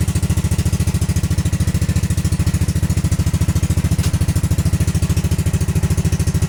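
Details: Honda Grom after ABS module delete and wiring bypass: steady even single-cylinder thumping at about eleven beats a second, no misses or knocks; clean healthy idle.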